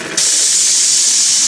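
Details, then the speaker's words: Oscillating steam engine model running on live steam from a flame-heated boiler: sudden steady high-pitched hiss over a second then cuts off cleanly; safety valve lifting at pressure and reseating, dropping pressure a couple pounds. "and the valve just blew off did you hear it and I dropped it by a couple pounds"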